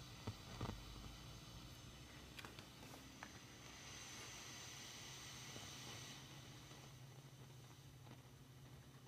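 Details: Fender Deluxe Reverb reissue tube amp idling with low hum and hiss, broken by irregular sharp crackles and pops that the volume setting doesn't affect.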